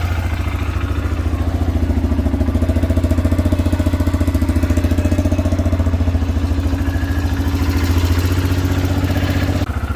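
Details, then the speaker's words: 2006 Arctic Cat 400 4x4 quad idling at about 3.5 pulses a second with a light rattle; the CVT clutches sound a bit noisy and may not have been cleaned in a long time. "Clutches are a little bit noisy, but who knows when those are cleaned last."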